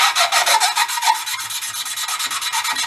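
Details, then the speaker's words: Lapping a valve with grinding compound on a 54-year-old Mite-e-Lite generator engine: quick gritty back-and-forth rasping, grinding louder after lifting the valve to refeed compound, then fading as compound is pushed out. "you hear the sound difference to like when I lift up when I first start you hear it grinding"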